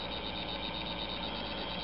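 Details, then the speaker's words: DC model locomotive run on DCC track through special address 00 while creeping slowly: a steady, unpleasant high-pitched motor buzz. The motor overheats if left sitting still on DCC power. "And as you can see, the the noise is not uh not terribly pleasant, but he is functional."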